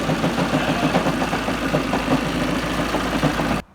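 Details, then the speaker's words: 2007 Ford Focus Mk2 at idle: uneven rattling clatter through a rough, shaky idle with the engine visibly vibrating; judged a badly worn, egg-shaped flywheel putting the whole engine out of balance. "Look at that flipping engine vibrating. That is one seriously worn out flywheel. Clattering, it must be egg shaped."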